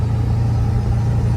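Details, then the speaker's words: 7.3 Powerstroke diesel truck cruising under load below 1500 rpm after fitting a KC 300X Gen 3 stage 1 turbo, Riffraff up-pipe kit, deleted pedestal and boost fooler: deep, even, quiet drone pulling steadily, no whistle or surge; normal running under load. "it'll just stay. It's so quiet. It's just Wow. Look at it. This thing is just cruising."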